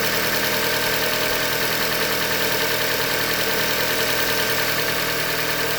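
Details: 2015 Hyundai Elantra Limited, 91,000 km, idling: steady rapid tapping about three per second over a busy engine note, engine knock from short block failure, a Hyundai manufacturing defect.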